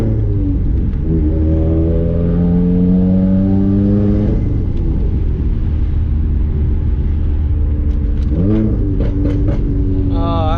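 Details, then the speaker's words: Subaru on a test-drive pull after fixing a misfire with new spark plugs, oil, trans/diff fluid and intake cleaning: engine pulls cleanly through the revs with a smooth rising note, no stumbling; acceleration normal, feels much better. "oh yeah felt a lot better a lot better a lot better"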